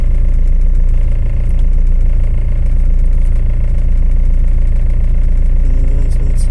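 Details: Tata Safari 2.2 diesel after clearing fault codes from a starting problem; restarted with no fault codes on rescan; steady, even diesel clatter at idle with a constant low beat and no misses or knocks. Normal idle.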